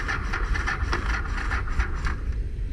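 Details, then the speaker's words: 1984 Honda Shadow 500 parts bike, cooling lines disconnected; starter with a burnt armature section whose loose wires were snapped off still cranks with quick, even rasping turnover pulses, no grinding; normal healthy starter cranking. "i literally just grab the wires on the armature snap them off and put starter back together and it literally turns over like the starter is perfectly fine even though there's like a whole burnt section in the starter"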